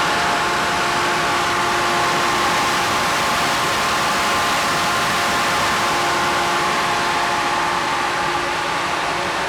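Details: Natural-gas-fired grain bin dryer drying soybeans, not cycling: a steady loud roar, an even high-pitched fan whir riding on a low natural gas burner rumble, no surging. Normal grain dryer operation.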